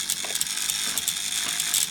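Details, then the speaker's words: Airfix 0-4-2 tank locomotive (R216), sold as a non-runner: the motor turns but there is no movement, only a high, dry ratcheting gear grind; the diecast chassis proved to be the cause and was replaced. "sounds like the motor's turning but the fuels aren't and there's a sort of grinding is O okay maybe gearing split gear something like that"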